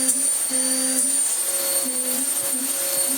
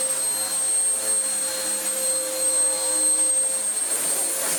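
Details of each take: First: Vax Power U84 upright vacuum running after filter cleaning, with belt issues: a steady high shriek from the brush roll over a droning motor, and a honking tone coming and going from a bad air leak somewhere. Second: Vax Power U84 upright vacuum after a new belt fitted for a belt running off-centre; steady high motor whine with constant airflow rush and even tone, though an air leak remains; running normally.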